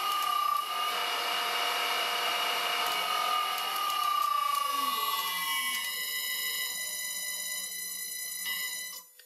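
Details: Second-hand motor on an old variable frequency drive for a vintage Karger lathe, after bearing replacement; clean, steady whine with no rumble or grinding, winding down smoothly, slight vibration at higher speed: normal motor run.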